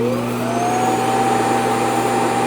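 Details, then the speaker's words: iRobot Roomba Plus 515 robot vacuum/mop combo docked after cleaning: motor whine climbs quickly then holds a strong, even pitch over a steady rush of air as the dust bin empties; normal, strong auto-empty suction. "Sounds like a strong auto empty. Dust bin emptying complete."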